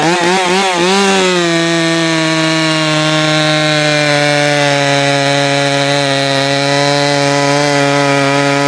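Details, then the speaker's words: Jonsered 525 chainsaw after richening the low-speed mixture and raising the idle: a brief wobble in revs settles into a steady, even high buzz with no misses or surging; running well now. "but dang thing's running good now"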